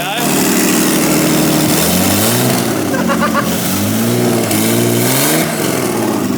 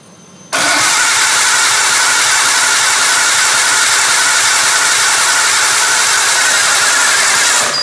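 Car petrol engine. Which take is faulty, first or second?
second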